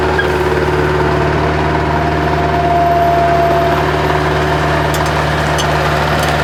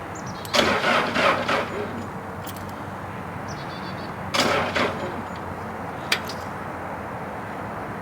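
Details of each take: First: Bobcat 763 skid steer diesel, after fuel system repair following a year sitting with suspected water/rust in fuel: steady smooth idle, even low drone, no misses or knocks; normal idle. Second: Bobcat 763 skid steer, sitting about a year with suspected water and rust in the fuel, primed with the injection pump bleeder open; two short sluggish cranks with no firing, owner suspects a dead jump pack.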